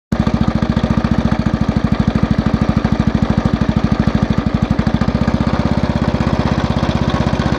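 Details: Small single-cylinder engine idling with a heavy, even knock at roughly three beats a second on every firing stroke that is getting louder. Owner suspects the crank side bearing or the connecting rod big-end bearing.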